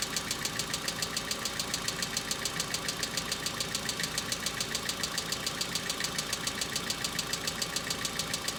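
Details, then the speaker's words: Hyundai Accent cold start, about -2 to -3°C outside: sharp, regular tick about 140 a minute over idle; owner attributes it to hydraulic lifters, saying knocking now lasts longer, unlike summer. "Температура ещё даже не опустилась ниже нуля . Когда станет очень холодно, этот стук будет слышен гораздо громче."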